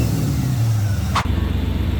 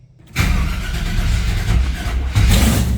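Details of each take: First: Chevy K10 V8 after the distributor was readjusted several times: it initially had too much advance, and base timing is now set to 16°. An even, steady rumble with no misses or pinging; it is dialed in and running smoothly. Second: Chevy K10 truck with misfire, after replacing the distributor, carb pumped a couple times: catches then surges and sags unevenly before dying; too much ignition timing, timing to be dialed back.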